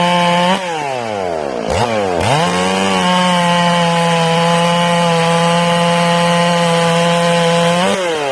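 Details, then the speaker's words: Newly ported, not yet broken-in Stihl MS461 chainsaw after the high jet is turned back from overly rich; steady even high-pitched scream in the cut without burbling, carb cleaned up and running clean. "Now I'm going to turn it back and you'll hear it clean up."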